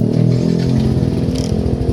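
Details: Yamaha NMAX scooter that died suddenly, after repairing a broken ignition switch wire by soldering: even, steady low putter at idle with no misses, knocks or rattles; normal running.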